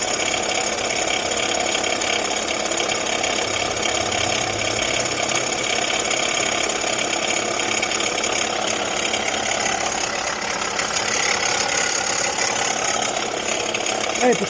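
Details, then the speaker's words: 2019 Jeep Renegade at idle, customer complains of engine noise at idle: constant rough whirring hiss, steady with engine speed, no knock rhythm, loudest at the front of the engine. "pessoal barulho né É e parece que ele tá mais forte aqui na região frontal aqui do motor né"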